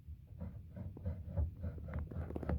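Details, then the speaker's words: Spinet piano after refurbishment, fully reassembled: dull low thumps about three times a second as the sustain pedal trapwork knocks against the center pedal; stiff trapwork. "right notice that the Trap work here for the sustain pedal is hitting the center"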